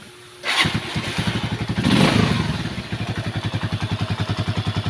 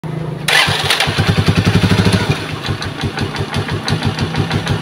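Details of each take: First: Rusi single-cylinder motorcycle after overhaul and tune-up with valve clearance adjusted: catches after a brief crank and settles to an even thumping idle, about three and a half beats a second, with good throttle response. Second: Rusi motorcycle engine overhauled only a week earlier that now leaks, sounds bad and chokes: it starts, then runs an uneven lumpy idle with a sharp puff each firing stroke. Compression is escaping at one spot.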